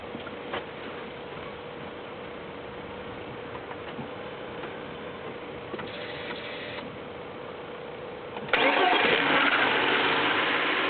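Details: BMW E36 318is, M44B19 petrol engine, cold start idling with a thin metallic ring and light ticking, then a sudden loud surge; rpm swings 1000 to 1500; cause unknown, owner asks.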